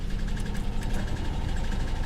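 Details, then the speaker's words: V6 car found at auction after 10 years, at idle: rough low idle with quick light tapping and uneven beat; owner first suspects lifter tap, then piston slap or rod knock, and feels a misfire. "up I hear a lifter tap from the engine I think that's a lifter tap let's pop the hood real quick"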